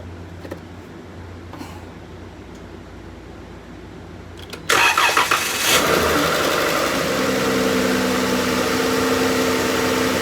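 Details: 2012 Chrysler Town & Country with 186,000 miles, sat for years, at its first start after a new AC compressor, main belt, shift solenoid pack and transmission fluid and filter: quiet until the starter catches, then a steady, even idle with no knocks or squeals.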